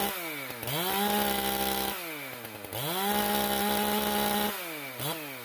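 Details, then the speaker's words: Stihl MS391 chainsaw just after muffler mod, first start: revs sharply to a thin sustained high scream at full throttle, lean on the high side as suspected, needing high-speed adjustment back into range. "well as i suspected it got lean on the high side do a little tweak and get it back down into range here"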